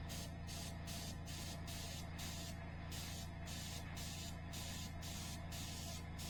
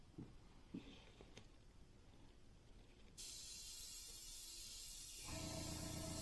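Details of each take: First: Iwata HP-CR airbrush on a quiet compressor at about 48 psi with latex paint: plain air hiss pulsing about twice a second but no paint comes out; airbrush sat for years, likely clogged with dried paint, needs disassembly. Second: Iwata HP-CR airbrush with compressor backed off to about 30 PSI, test-spraying paint onto cardboard before painting a SkyShark P-40 RC plane. An even, steady hiss with no sputter or surge; spraying cleanly at low pressure.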